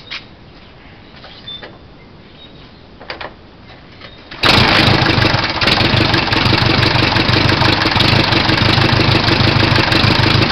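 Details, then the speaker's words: 1929 Henderson KJ four-cylinder motorcycle, magneto ignition, original carburetor with Harley air cleaner, prepared for 2012 Cannonball: engine catches and settles into brisk, even idle with steady exhaust beat; normal idle. "I'll go ahead and put the camera down for a minute, see if I can fire it up and kind of see what it sounds like and hear it a little bit."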